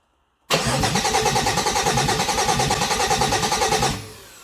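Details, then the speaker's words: 2008 Dodge Nitro after an engine change, first start attempt, fuel pump heard priming. Strong, even starter cranking at about three turns a second for three seconds, never firing; crank, no start, with the starter in good shape. "It it cranks around, so the starter is in good shape, but I don't have anything else."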